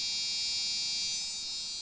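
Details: Gigabyte GA-965P-DS4 rev 1.0 motherboard at power-up: continuous piercing high-pitched tone from the motherboard beeper speaker, stops when unplugged; cause unknown.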